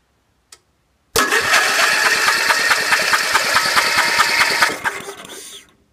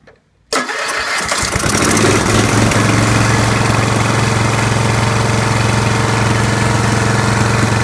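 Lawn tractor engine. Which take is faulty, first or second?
first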